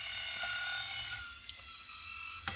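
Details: Nail file drill on lowest speed: steady high-pitched motor whir with faint ticking, running evenly, speed control working; normal running.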